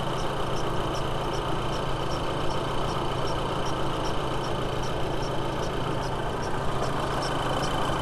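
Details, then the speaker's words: VW B6 Passat 2.0T idling after serpentine belt replacement: light regular tick about twice a second, slower than the pulleys turn, traced to the timing belt area. "yeah that's coming from timing belt it's a lot slower it's a slower rhythmic noise than these pulleys are turning"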